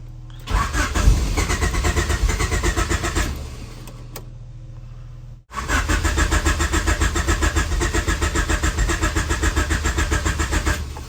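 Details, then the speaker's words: Turbo Honda H22 in a CB7 Accord: two bursts of steady cranking at about four compressions a second with one little pop but no start; fuel pump cycled, spark confirmed, cause unknown. "I get one little pop and I'm done."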